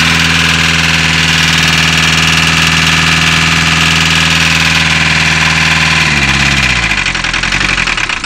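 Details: VW Caddy diesel with a hard cold start idling with an uneven, lumpy beat about four times a second; one cylinder not pulling its weight before it shuts down. Owner suspects a valve or crank issue, cause unconfirmed.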